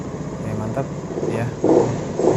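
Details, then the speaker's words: Honda Beat Pop scooter after full engine overhaul with 1 litre of oil added and service indicator reset: short steady putter with quick throttle blips rising and settling cleanly; runs normally, only other checks remain. "udah normal Ya udah normal tinggal paling pengecekan yang lain-lainnya gitu"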